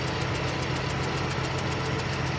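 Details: 2008 Ford Mustang 4.0 V6 idling with fast, even light ticking, about six a second, after a stripped spark plug hole was repaired with a thread kit; source not pinned down.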